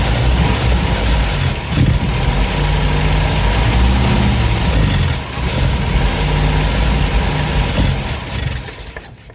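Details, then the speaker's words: 1971 MGB GT, possibly 18,000 miles: after carbs and dashpots refitted, choke on, lumpy uneven idle wavers and sags, never picks up, then stalls near ten seconds; won't rev; fuel starvation from dirty carburettors. "I'm not too worried about the mixture just yet because it's not actually staying running. It won't actually rev up, which I'm very surprised about."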